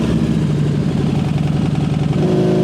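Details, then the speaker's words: Harley V-Rod, stock 1130cc, full-throttle dyno run, about 121 hp and just under 80 lb-ft: hard, even firing with pitch climbing smoothly, no misses or clatter. Healthy engine pulling strong. "So the bike is actually running really well. Those numbers are actually really good for a stock 1130cc."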